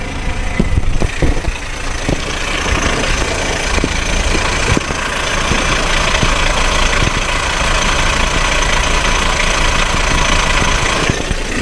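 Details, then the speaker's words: Car at idle, listened with a microphone in a hose near the starter; rough busy idle with irregular light ticking and scraping at the starter, starter drive gear rubbing the flywheel ring gear. "si notaron el ruido se escucha en la marcha o cerca de la marcha"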